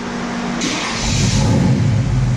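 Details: Olds 442 with Chevy 383 crate V8, after swapping a failed flat-tappet cam for a custom roller cam and dyno tune (298 wheel hp): deep, smooth rev climbing cleanly and evenly, no ticking or knocking; healthy engine.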